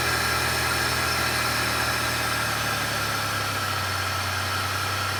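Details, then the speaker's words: 2002 Pontiac Grand Prix, 3800 Series II V6, idling after idle air control motor replacement: a steady, even idle with a smooth low hum and no hunting, misses or ticks. Normal idle. "so clearly the car starts okay in fact it started creepily fast actually i think one compression stroke and she was on her way so that's awesome"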